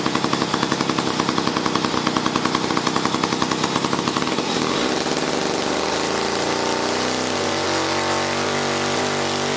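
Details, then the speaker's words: 1956 Eclipse Wasp two-stroke chainsaw after reed block repair, new fuel line and carburetor fine-tuning: crisp rapid two-stroke buzz that revs cleanly, then settles to a steady, even idle without stumbling; healthy normal running. "I fixed that read block put it back together and it ran I just had a fine tune in the carburettor so here let me start it up and show you"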